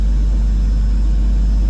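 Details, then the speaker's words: 2001 BMW E46 320Ci coupe, 21 years old, under 46,000 miles, idling just after its first start in about 11 months of storage with the battery refitted: a deep, steady, even low rumble with no misses or knocks; runs smoothly. "And she sounds beautiful, hasn't missed a beat. Not bad for a 21-year-old car. Started perfectly."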